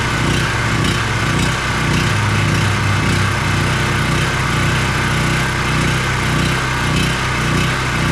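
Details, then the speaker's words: ETQ 4000 watt portable generator engine after fitting a cheap replacement carburetor with new gasket and adjusting its screw: loud steady drone at constant high speed, no surging or misses, making power at full RPM; normal running. "this cheap little carb seems to be running it just fine so as you saw we're making power and full RPM sounds really nice"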